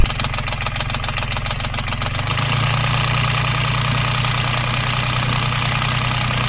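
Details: Beta 25 marine diesel past the 800-hour valve lash interval: tapping at certain low rpm, which shift cold versus warm, over diesel clatter, fading as revs rise into a smoother drone; owner suspects valve lash (rocker clearance).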